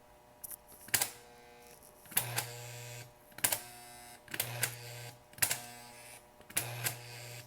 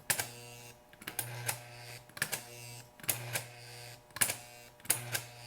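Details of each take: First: Rebuilt 720A remote-control switch (1949-1956) tested without lubrication between frog and roadbed: sharp solenoid clacks about every second with low hum; some returns softer and slower, struggling back to the right-hand rail. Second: Rebuilt 1949-1956 Type I 720A remote-control switch pair, tested without lubrication between frog and roadbed: regular clack-buzz-clack cycles about every second with a brief low hum between. The solenoid coil and plunger throw the frog cleanly and firmly.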